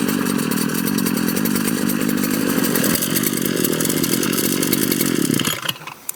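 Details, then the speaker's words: Two-stroke weed/brush cutter whose head won't engage or turn under heavy weeds; buzzy hard revving with a rattly, scraping clatter before cutting out, a worn clutch and damaged clutch housing. "Problem ಅಂದರೆ, ಈಗ heavy ಕಳೆ ಎಲ್ಲ ಇದ್ದಾಗ ಇದು engage ಆಗಲ್ಲ, ತಿರುಗಲ್ಲ."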